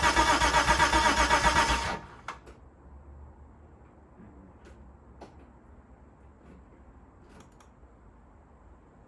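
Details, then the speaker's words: Rebuilt Mitsubishi GTO twin-turbo engine, first start attempt in 3 years, tank just filled, fuel pump not heard priming: about two seconds of even cranking, roughly four pulses a second, then silence with no firing; no fuel delivery. "I don't know why but it just wouldn't start well that didn't work um yeah didn't start"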